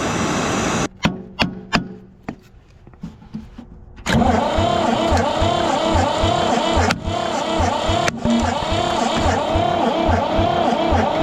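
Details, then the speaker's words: 1960s Ford diesel tractor that sat about 20 years, cold weather, injection pump heated: clicks, then cranking with uneven chuffs of about three a second as the center cylinder catches. Front and middle plungers inject; the rear plunger is dead. "there we go that Center one starting to do something I got the front and middle cylinder plungers injecting fuel"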